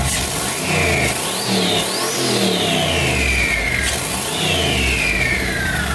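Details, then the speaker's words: Budget turbo LS V8 Escalade, first start after hot-side install: high whistle climbs and falls with each throttle blip over the V8 rumble; loud turbo whistle, cause unknown, some smoke noted. "That's got quite the whistle, but what is all that? We don't got to worry about what the whistle is."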